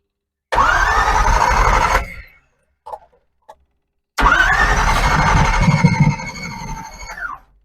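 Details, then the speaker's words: Old Chevy small-block V8 being revived after decades dormant: two cranking bursts with ragged, uneven firing that never settles into a run; ignition timing out, distributor bushings shot and points not opening properly. "seems like it should run I hear it firing just the timing is out now"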